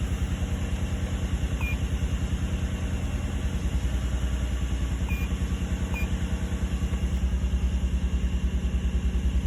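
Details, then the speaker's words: 2003 Nissan Murano petrol V6 idling slightly stumbly after P0302 cylinder 2 misfire code cleared; coils 2 and 4 swapped, oil found in plug wells, P0021 possibly bad VVT; uneven throbbing beat about three pulses a second, mild rough idle. "So, this is it with the code cleared. still seems to be idling a little stumbly compared to how it used to."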